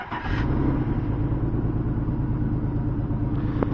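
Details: BMW E39 that had a crank no-start wiring fault, including a blown fuse, and a non-working accelerator pedal: smooth steady low idle with no misses, knocks or stumbles, running healthy.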